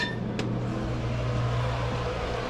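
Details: Outdoor wood boiler smoke evacuation/draft fan, switched on after GFCI restored power during circulator pump replacement: steady, even hum with low drone and no rattle or scrape; fan running smoothly.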